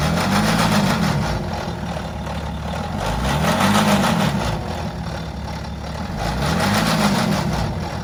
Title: BMW X5 F15 Diesel Timing Chain Noise Rattle - Stretched Chain – Does Yours Sound Like This?